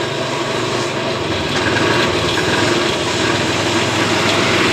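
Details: Honda Beat eSP scooter, often heavily loaded and rarely serviced, fault code lit on the indicator: steady coarse rasping roar from the CVT case that holds as throttle rises; cause of the rough CVT noise not yet pinned down.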